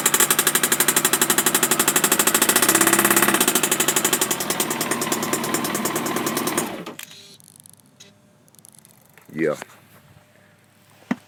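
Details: 2015 Kawasaki ZX-14R, under 10,000 miles, after an aftermarket cam chain tensioner (APE) was fitted: loud steady knock about four times a second at idle until shut off; cause unknown.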